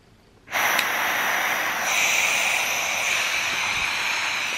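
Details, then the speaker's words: Air-powered G4 paintball marker aired up from a tank that may be past its hydro date: a sharp, steady high-pitched hiss starts suddenly and keeps going as air escapes from the marker. The owner spots where it leaks and also thinks the tank is low on air. "What the heck? Oh, it's leaking from here."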